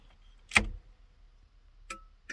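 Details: 1971 Datsun PL521 (1600) pickup cab with the engine off and the battery near 12 V: sharp, isolated dry clicks at uneven spacing as the turn-signal flasher relay ticks, so the signals are working normally.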